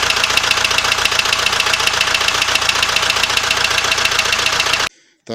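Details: ZMZ 514 Euro 2 turbo diesel with sensors disconnected, idling with a sharp regular knock, about four hits a second, over harsh clatter; knock blamed on con rods by others but owner says it was not the rods.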